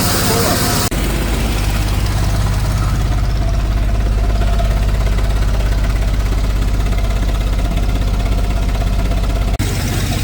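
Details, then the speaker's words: OBS Chevy truck after a Sea Foam treatment: lumpy, loping idle at about three beats a second over a deep exhaust rumble, heard through intake and exhaust; rough idle not fixed, a valve not sealing suspected. "You can hear the intake and the exhaust just mixing together making that sound."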